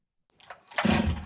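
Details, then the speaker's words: Stihl MS 500i chainsaw after repair including a better air filter seal: silence, then it fires on the first pull into a steady strong two-stroke run. Normal start with no hesitation or stalling, though still running rich at idle; weak fuel pump suspected. "That's a lot better than last time. I feel no hesitation. There's no stalling."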